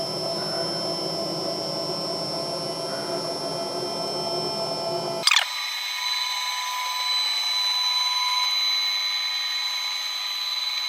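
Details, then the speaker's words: Old CNC router revived after two years stored, first homing of all axes: drives whir then cut off abruptly with thin high steady tone; fault from a trapped limit switch needing release and repositioning. "hey okay we have a fault there's a limit switch under here and um it's it's trapped so uh I need to uh release it and try and reposition it"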